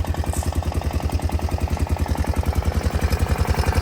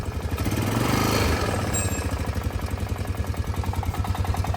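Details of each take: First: Honda Foreman 500 ATV single-cylinder engine idling after valve adjustment and cover replacement: an even, deep thump, about 3.5 beats a second, ticking much less than before; the owner suspects slight piston slap. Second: Honda Foreman 500 single-cylinder ATV idling on a 20°F day, after valve adjustment and cover replacement: steady idle with a light, quick tick each firing stroke, milder than before; owner thinks it's normal for these, also suspects some piston slap.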